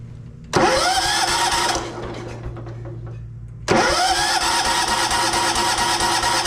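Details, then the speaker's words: Abandoned 1983 John Deere 210 lawn tractor with spark, oil and fuel now reaching it after clearing fuel line clog: starter cranks, then a short surge as it catches and fires briefly before dropping back; cranking with brief firing. ">> Okay, guys, that's a great sign. That's a great sign. She burped."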